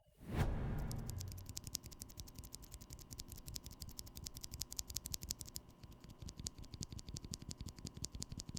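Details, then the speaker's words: Drop Invyr Holy Panda tactile switches, lubed, with 63 g Korean springs: crisp, even keystroke clacks in steady bursts with no metallic ringing; lubed springs give no spring ping. "they feel slightly lighter than with the stock ones and i'm happy to report that properly lubed these springs produce no ping that i could easily detect"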